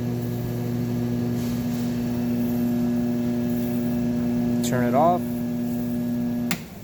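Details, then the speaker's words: Lapmaster Wolters Model 12 lapping machine running dry with the weights removed on a preset program, in a pre-shipping check. It gives a steady, even hum, a short pitch sweep as the RPMs are turned up, then a clean shutdown: normal operation. "We're gonna turn it on. There's already a program set in there, so we're just gonna start it. We're going to turn the RPMs up."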